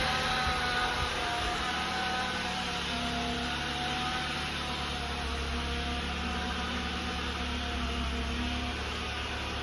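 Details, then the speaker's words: 2013 Jeep Compass with bad transmission; faint steady high-pitched whine above engine running noise comes from the transmission, not the engine, the reason it came in. "is fine. The whining's coming over here from the trans. That's why the vehicle came in."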